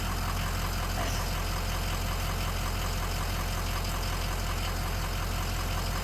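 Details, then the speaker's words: Toyota Tundra farm truck, weak battery charged for 5 to 10 minutes, after tie rod end and driveshaft repair: starts and settles into a steady, even low hum with no misses or knocks; normal idle. "on and just like that we have a running farm truck awesome I'm super happy"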